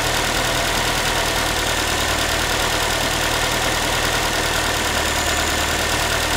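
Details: Ford Focus 3, 1.6 engine (125 hp), idle after a cold start: a tinny, rapid, pan-like metallic rattle at about three per second sits over the engine note. The owner is asking what it is, and the cause is unconfirmed.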